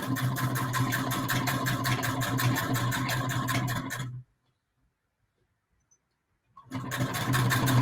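Needle mechanism ticks at a fast, even rate, pauses into silence, then resumes just as smoothly; the machine sews normally.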